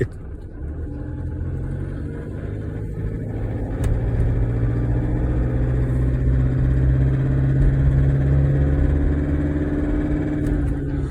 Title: LISTEN NOISY Till it WARMS UP